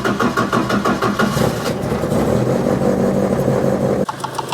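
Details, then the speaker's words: Ford Escort Mk1 with ST170 engine at idle after rocker cover reassembly: uneven light top-end knocking; a cam lobe fouls the rocker cover baffle plate at a fitting nut, noise going when the bolt is undone. "no I can still hear it if I undo this bolt it'll go away"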